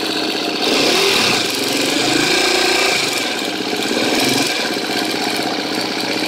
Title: KTM 250 exc-f 2013 6 days, ticking sound while idling, bad cam tensioner?